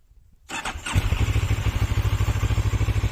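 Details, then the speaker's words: New CF Moto MT 650 motorcycle at about 400 km: quick crank, clean start, steady even exhaust thump about three beats a second, smooth healthy idle; exhaust not loud but pops. "tatlı bir sesi var egzoz pek gürültülü olmasa da Domak gibi patlatıyor bayağı patlatıyor"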